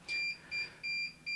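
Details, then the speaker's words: Amcrest NVR with no hard drive installed sounds a shrill repeating alarm beep, about two and a half per second; silenced by disabling the no-disk abnormality alarm in the alarm settings. "when there is no hard drive it's beeping here there's an alarm sound and the hard drive is not here"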